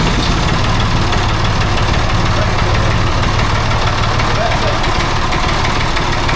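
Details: Restored David Brown 880 tractor diesel, started on a jump pack (small battery, broken earth cable clamped): settles into a steady, even low idle chug with no knocks or misses; normal healthy running.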